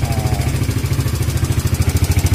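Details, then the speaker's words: Evo Z motorcycle left sitting a long time, just started after checks. A steady single-cylinder idle with a light, quick ticking on every beat over the exhaust thump. The owner identifies it as tappet noise. "So enjin pun sudah hidup dengan sempurna. Okay, kalau korang dengar itu adalah bunyi tepet"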